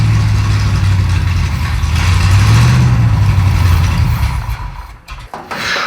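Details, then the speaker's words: 1937 Pontiac junkyard-rescue V8, just restarted while being tuned, possibly now picking up gas from the tank: lumpy, lazy, uneven low running that dies away; ignition timing retarded at only about 10 degrees, to be advanced further. "That ran longer than it ever has. Yeah, I think it might have picked up gas. It's only got like 10 degrees of timing in it. I will advance further."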